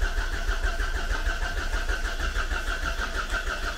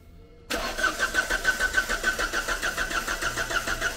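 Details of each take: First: Volvo V40 abandoned for years, fuel line found dry, refueled: even starter churning about two beats a second with faint uneven puffs trying to fire; cranks but won't catch, cause suspected, not confirmed. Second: Volvo V40 abandoned for years: cranks briefly, catches cleanly, settles into steady idle pulsing about three times a second, no misses or knocks; normal start and idle.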